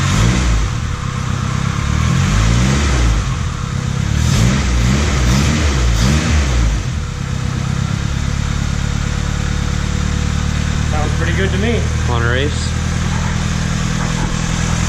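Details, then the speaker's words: Turbo Civic on its first start after several tries: it catches, blips a few revs, then settles to a fairly steady idle with a faint ball-bearing turbo spooling whistle; sounds healthy. "You're knocking. That sound of that ball bearing turbo."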